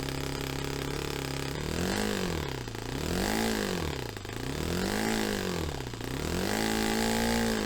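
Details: Saito FA-45 Special on first run after a full rebuild with new bearings, on a test stand, 10% nitro, carb untuned. Revs climb and fall in waves about every two seconds and never settle; surging, slow throttle response.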